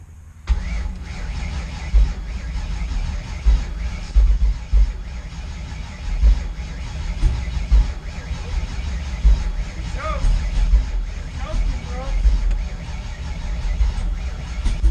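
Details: 408 Clevor V8 first startup attempt: low uneven chugging with coughs and pops, backfiring through exhaust, turns over but never catches. Owner suspects timing set at 0° TDC is off, possibly 180° out, and uncalibrated TPS on new throttle body.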